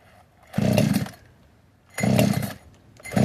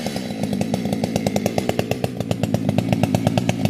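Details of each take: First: Modded 60cc Echo 620 chainsaw, widened-venturi 620 carb, high jet only a turn and a quarter out, idle turned up: short full-throttle bursts about every 1.5 s with burbly, uneven top note; slightly four-stroking, rich high-speed mixture. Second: Fully built 60cc chainsaw, opened-up intake, tuned with ignition advance, started with no choke or high idle: crisp, rapid firing holds steady and even, no stumbling or surging; well-tuned two-stroke running clean.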